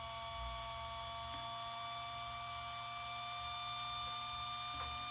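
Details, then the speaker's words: RC car ESC cooling fan powered alone from external 6 V NiMH battery: steady high-pitched turbine-like whine at even pitch as the small fan spins up fast; excessively loud cooling fan, worse with two fans running together. "donc voilà c'est déjà des ventilateurs qui accélère à dont tu ne sais pas combien de tours ça montre mais on continue ok donc ça fait un bruit de turbine moi j'aime pas ça"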